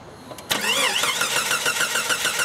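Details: Jeep with no fuel pressure and weakening battery: starter cranks the engine at a fairly quick even beat but it never catches; crank no-start from a dead fuel pump.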